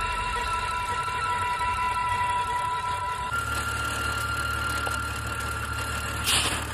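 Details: BMW petrol engine (M54/N52 breather video) at idle: a thin, steady high whine that steps up in pitch partway through. The whine comes from the engine bay; the cause is not pinned down.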